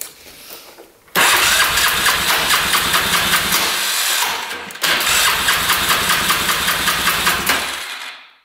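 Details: 2005 Polaris Sportsman 500 4x4 single-cylinder ATV with a smoking problem, compression test after oil added to the cylinder (190 rising to about 210 psi): quick even cranking chugs in two bursts, no firing; worn rings suspected.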